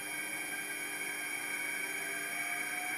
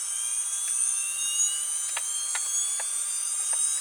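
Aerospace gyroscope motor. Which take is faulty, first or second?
second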